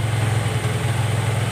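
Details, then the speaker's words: Carbureted Honda Vario 110 (Vario Techno): idle unstable, rising and falling by itself, then holding fast and high without settling to a slow tick-over; idle speed far too high, before checking the automatic choke. "Oke, jadi motor ini dia kasusnya langsamnya tidak stabil, Guys. Naik sendiri, turun sendiri, besar sendiri gasnya, kecil sendiri, pokoknya enggak normal, ya."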